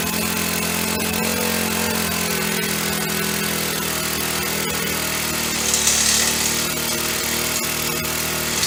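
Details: Honda FG100 four-stroke mini tiller, freshly reassembled after repair (it previously had no valve), started on choke: revving high and buzzy with an irregular, hunting note; it runs rough and won't idle by itself.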